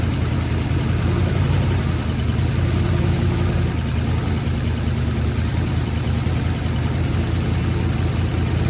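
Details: Ford Sunliner after new starter and carb cleaning, fresh start: loud steady low idle rumble with rough chuffing edge; really bad exhaust leak at front pipe joint, black soot, to be resealed with high-temp gasket maker.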